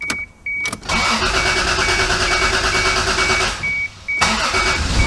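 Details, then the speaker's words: MK3 Toyota Supra that had not run in two years; once the unplugged fuel pump was connected, cranking stutters, then it catches and fires into a busy, uneven run before settling, with no smoke and no misfire. "it runs and it sounds good doesn't sound like it's missing or nothing so i'm gonna let it run"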